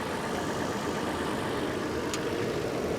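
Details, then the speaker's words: 2022 Toyota 4Runner TRD, lifted, about a year old: steady, even idle with a smooth, unbroken hum and no knocks, ticks or misses; normal idle. "and there we go solid as a rock no problems at all right"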